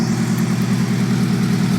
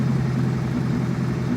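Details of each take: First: Chevette with Keihin CV motorcycle carbs after main jet work, new idle jets, reset idle circuit and resealed intake runners; dead cold start settling into a steady, even idle with a regular low pulse, running much better, slightly wobbly. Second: Chevette running Keihin CV motorcycle carb rack after swap: new main and idle jets, idle circuit reset, carbs sealed, runner hose clamps reseated; dead cold start, runs much better, idle slightly wobbly with faint rise and fall, still needs carb balancing.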